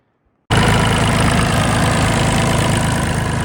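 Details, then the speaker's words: Neglected used John Deere after missing bracket refitted to stop a chattering: catches and settles into a smooth, even idle with steady low beat and no ticking or chatter. "That sounds a lot better. That fixed the ticking."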